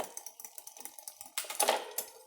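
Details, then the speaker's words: A rear derailleur deliberately put out of adjustment gives even freehub ticking while pedalling, then harsh clatter as the chain struggles between cogs. It shifts reluctantly and sometimes double-shifts. "basically as you pedal the bike you hear some noise when you're in a cog when you go to hit the shift you can hear it doesn't really want to shift"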